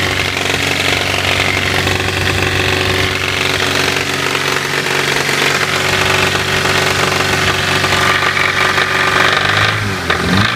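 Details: Toyota Levin AE92 4A-GE engine revving: busy, rattly top end with a faint tapping riding over the revs; a knock is present, cause unknown.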